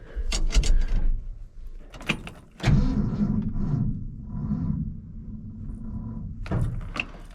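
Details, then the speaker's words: 1966 Ford F-250 restored truck on the customer's weak battery: after door and key clatter, a sluggish dragging crank labours about four seconds without starting; slow cranking from a weak battery. "It's got the customer's battery in it. And it's pile."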